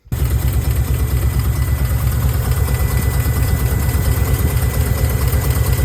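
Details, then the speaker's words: 1990 Nissan 240SX hatchback KA24E four-cylinder at idle: deep, lumpy, uneven chugging that shakes engine and hood; ECU code 45 showed injector leak, fixed with new injector seals. "and as you can tell on the video the whole engine is shaking my hood is shaking and when you sit inside the chassis like inside the car like it's very very shaky"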